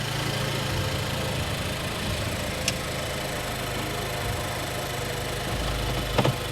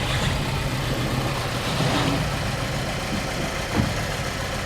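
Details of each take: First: Nissan Juke after fixing a cylinder 2 misfire, idling with no throttle input. Engine ticks over at a steady, even idle with only a few stray clicks from the surroundings; it sounds healthy and the issue is fixed. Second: Nissan Juke with a misfire in cylinder 2, before spark plugs and wires are replaced: the petrol engine idles with a low, slightly uneven puffing beat.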